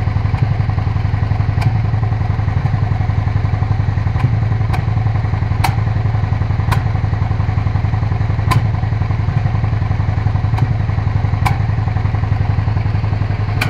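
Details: Suzuki SV650 S V-twin idles with a steady low thump broken every second or two by sharp irregular pops; engine misfiring, cause unclear.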